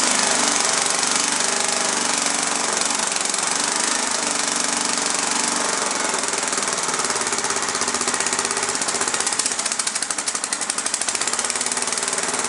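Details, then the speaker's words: Snapper small engine: hammering along at about four beats a second, uneven and lumpy under a harsh clatter; rough running, governor adjustment suspected, not confirmed. "I think it's actually in the governor out huh seems like it's in the governor huh maybe the governor's not adjusted right"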